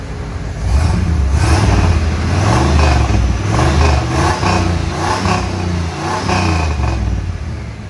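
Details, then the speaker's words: Third-gen Trans Am, stock L69 305 V8, just fitted with headers, revved: rough clattering rasp over the exhaust drone, a noise never heard before. Lots of smoke; owner suspects it runs too rich on a probably original carburetor. Unusual noise when revving. "Yeah, I never had that noise before, but as you guys seen though, there was a lot of smoke, so I think she's running way too rich, which doesn't surprise me."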